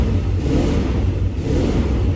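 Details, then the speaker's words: 1965 Plymouth Barracuda, original 273 V8, four-speed, 138k miles, off road 28 years; lumpy, loping uneven rev with missing pulses, heavy smoke, fairly low but even compression; misfire from plugs fouled by very rich mixture, timing needs advancing. "don't mind the clouds of smoke yeah this thing sure sounds like it's down a hole it sounds to me like it's cranking pretty evenly also like there isn't an incredible amount of compression in this engine but it should be enough to do things we definitely need to get that Miss handled though"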